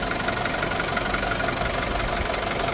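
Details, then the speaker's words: Isuzu D-Max 2.5 TD diesel, 2021 model, 48,000 km: even, steady warm idle with the usual light clatter and no irregular knocks or misses; no problems on the engine side, running healthily. "So engine side total గా మొత్తం గమనించవచ్చు ఎక్కడ మనకి ఎటువంటి ఇబ్బంది ఏమి లేదండి బండి అది మాత్రం చాలా బాగుంది అంతా కూడాను"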